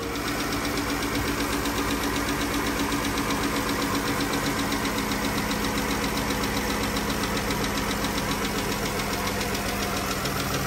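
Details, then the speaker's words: 2014 Dodge Journey AWD, 3.6L Pentastar, before replacing rocker arms and lifters: quick light ticking, even over a smooth idle and keeping pace with engine speed, attributed to worn rocker arms/lifters. "can you guys hear that engine tick"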